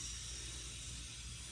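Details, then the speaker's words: Car A/C recharge with R134a: after evacuation, a can charges the low side, and a steady, even airy hiss, engine off, shows the system readily taking refrigerant, drawn in by vacuum plus can pressure. "how much of that is taking right away obviously there's pressure in the can too but the vacuum helps it uh suck it down"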